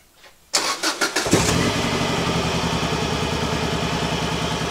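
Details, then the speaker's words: Subaru GC8 version 3 STI with a misfire that began after a reported overheat; an uneven, choppy, stumbling idle after start, which seems to smooth out slightly with more throttle. A compression test follows. "You know, cars have different style misfires. We've seen things like with mass airflow sensors, the car's misfiring a little bit or timing or spark plugs or whatever."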